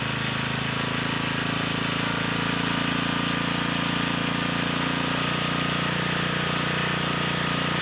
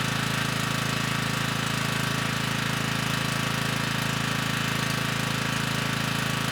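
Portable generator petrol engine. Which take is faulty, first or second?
first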